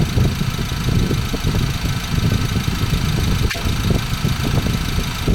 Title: 2014 Ford Ranger 2.2L engine rattling noise. What do you think it is?